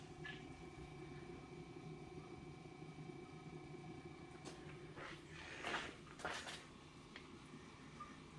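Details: Antique GE Monitor Top refrigerator running with the compressor warm and the inside chilling to about 30: a faint steady hum with soft, uneven gurgling of refrigerant, described as boiling; normal running noise.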